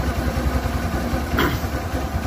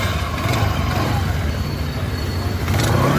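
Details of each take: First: 2010 Suzuki Access 125 scooter, about fourteen years old, idling: quick, low, uneven thrum and light clatter from the engine side; cause not pinned down, old belt later replaced with genuine Suzuki part. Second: 2010 Suzuki Access 125 scooter, 14 years old, after replacing the worn-out original drive belt with a new genuine Suzuki belt to cure an engine-side noise: small engine runs smoothly, then revs up cleanly with no slapping or rattle; normal running.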